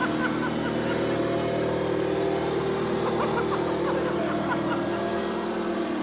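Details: Repossessed cotton picker with an 8.3 Cummins diesel, first start attempt, with three injector lines empty/open (two known full of air). Clatters unevenly at about three beats a second, loping as some cylinders don't fire.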